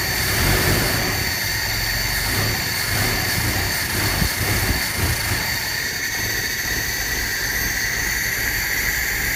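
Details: 1976 Chevy LUV engine: idle hunts unevenly with no steady rhythm, and a brief rev falters and bogs instead of climbing cleanly, as if trying to die; rough running, cause unknown.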